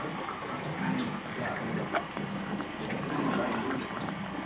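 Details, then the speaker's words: Flojet LF-12 water pump on test, run on 9V 1A instead of 12V, tank drawn nearly empty: gurgling, slurping irregular rattle over the pump hum with no steady flow; pump running dry, sucking air. "starts to pick up there oh it sounds like it's sucking in it's amazing it's still managing to suck something out of there"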